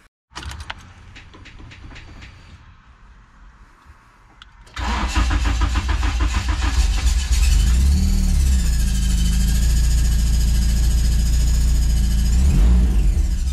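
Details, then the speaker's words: Turbo K-swap Mazda Miata, first start after the engine re-swap: the starter cranks, then a loud idle with a wavering high squeal, which the owner attributes to the clutch needing bleeding, plus chattering possibly from a pipe hitting the O2 sensor. Squeal and chatter at start. "so there you have it it starts make some weird noises i think some things are just like hitting other things like it could be this pipe right here it's hitting the o2 sensor and it's like chattering uh the clutch needs to be blood so it's that's what that like weird squealing noise was"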